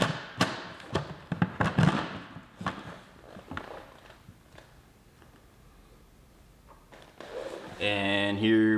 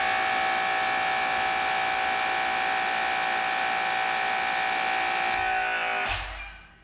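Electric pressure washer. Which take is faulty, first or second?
first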